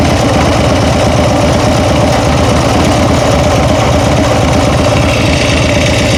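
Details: Steady idle with fast light ticking, roughly three per second; owner thinks it comes from the rear cylinder; valvetrain tick of unknown cause suspected; ticking noise at idle.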